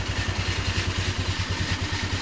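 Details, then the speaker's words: Baotian 125 scooter, cold, just after fitting a new Chinese carburettor and intake manifold: steady low putter at idle with even beats and no stumbling; it no longer stalls, so the idle sounds healthy. "Je suis au ralenti. Ah ouais, la canne même plus. Il démarre au ralenti."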